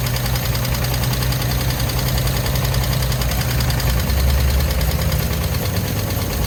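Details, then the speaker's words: 1950 Chevy Bel Air barn find: starter cranks the engine steadily with no firing; owner suspects a dry fuel pump that needs priming. "Yeah, I don't think fuel pump's pumping. Probably needs to be primed. Probably dry. Won't pump."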